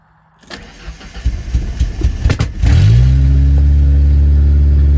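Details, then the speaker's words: 1991 Ford Ranger 2.3 after replacing the fuel injectors and fuel pressure regulator; the owner suspects the spark plugs are fouled. Brief cranking catches quickly and settles into a steady, even low idle with no misses or knocks: a normal start and idle. "But yeah, way better. Truck runs good. Now I'll go and start it up."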